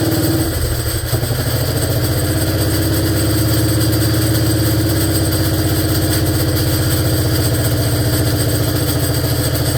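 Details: 1947 BMW R35 single-cylinder motorcycle, first run after sitting for years: steady loud idle with a fast, loose rattle on top that stops when the clutch is pulled; gearbox sounds terrible, cause unknown.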